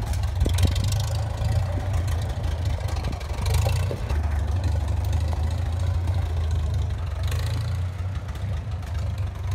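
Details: 1954 Farmall Super M tractor, hood off, bought at auction as non-running, warming up with oil pressure pegged. Steady, even low rumble with no misses or knocks. Normal running.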